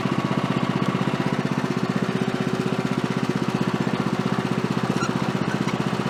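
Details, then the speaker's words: Woodland Mills HM130 Max portable sawmill after tensioner bearing replacement and blade guide work, cutting small silver maple log: even, firm engine beat holds steady under cutting load, no squeal or grind; cutting really good now. "She's cutting really good now."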